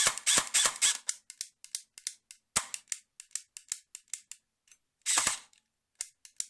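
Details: Colt M4A1 airsoft AEG in single-shot mode: a few firing bursts, then light dry trigger clicks with no firing. Switching to full auto and back sometimes fixes it temporarily. MOSFET, wiring, motor, gears, shimming, contacts and anti-reversal latch were already checked or replaced; the cause is still unknown.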